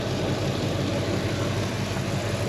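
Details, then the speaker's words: 1968 AMC AMX, X-code 390 V8, 87,195 miles, AC, power steering and brakes, at start-up: steady, even low rumble with no knocks, misses or dips; purrs, normal idle. "This thing purrs."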